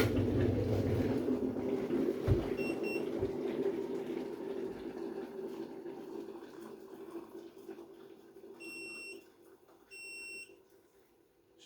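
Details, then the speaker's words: Hotun Detect tundish alarm tested with boiled water on a cup: short chirp then two long high-pitched beeps about a second apart, signalling hot water discharge at the tundish, warning of a relief valve problem. "you can see we're getting longer beeps so that's going to let your customer something's wrong"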